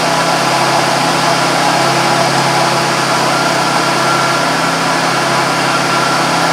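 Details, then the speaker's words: 2001 Buick Park Avenue idling after AC compressor clutch and pulley bearing replacement, AC off: smooth, steady hum with no belt-drive growl; the earlier horrendous noise with clutch disengaged is gone, and the clutch engages fine. "I did run it no horrendous noise when it's not on now which is good"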